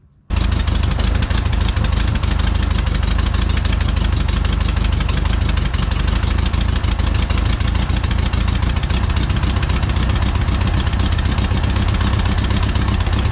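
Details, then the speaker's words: 1968 VW Bay Window bus air-cooled engine after a motor refresh and reinstall, while setting timing with vacuum advance off: a steady, even, low chuff at idle with no knocks or misses. Normal healthy idle. "sounds like an old air-cooled Volkswagen in there"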